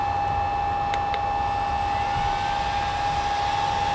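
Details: New replacement cooling fan on the MPT-7210A solar charger, just plugged in: steady, even whirr with a constant high whine and no rattle, ticking or wobble; running healthily.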